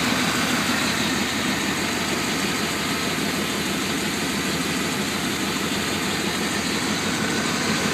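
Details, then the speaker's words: 1995 Chevy Tahoe LT 4x4 K1500, 5.7L V8 with TBI, K&N filter and a Thrush (Flowmaster-type) exhaust: a steady, even idle with a loud, raspy exhaust note and no knocks or misses. Healthy engine. "it also has a Flowmaster exhaust it's actually made by thrush I believe so but it's the same as Flowmaster so the exhaust is going to be somewhat loud but it's worth the extra gas mileage"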